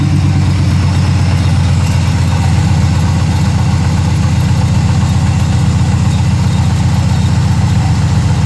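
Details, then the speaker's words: Chevy C1500 project truck idling; the clip shows how badly everything vibrates, and a loose bolt was noted on one side of the engine. Deep low drone with a pulsing uneven shake about four beats a second: rough idle, heavy vibration, cause unclear. "I'll start it up and we'll see if the camera can pick it up in terms of how bad everything's vibrating."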